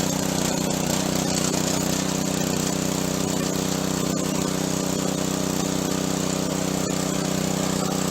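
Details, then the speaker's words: Junk pressure washer, small engine with replaced pump, tested after repair: steady, even drone with constant pump hum, no misses or knocks; normal running. "pump was replaced I think I made a video of that and let's try it out down here"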